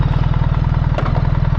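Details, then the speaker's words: 2024 BMW R1300 GS with ASA automatic gearbox, idling: even idle pulse with one short dull clunk as it is shifted from neutral into manual first; normal gear engagement. "so now I've just clicked that down you hear that clunk it's in manual one"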